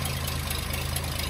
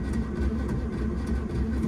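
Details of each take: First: Daimler limousine petrol engine, first run in 32 years since 1990, carb checked and not leaking, running off its own tank: smooth, steady low idle with even beat, no misses or tapping; idling cleanly, slight condensation in exhaust. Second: Starter motor stuck engaged, with a continuous mid-pitched whir over a low rumble after cranking stops, on a Daimler wedding limousine parked since 1990, during its first start attempt after 32 years with the float primed; key is already off.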